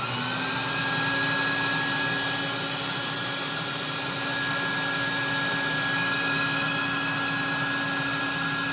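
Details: 1964 Electrolux Model 89 vacuum cleaner after rebuild: smooth, steady motor hum with a clean even whine and no rattles or surging; healthy vacuum motor.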